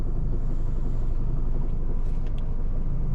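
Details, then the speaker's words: 2018 Toyota Camry 2AR-FE automatic, about 892,146 km, idling with the AC on: low rumble with a dull knock near four a second. It is silent at plain idle and when revved. Cause was a flexplate cracked around the bolts. "when it's idle you cannot hear noise but when you turn it on the ac you'll hear the sound can you hear it"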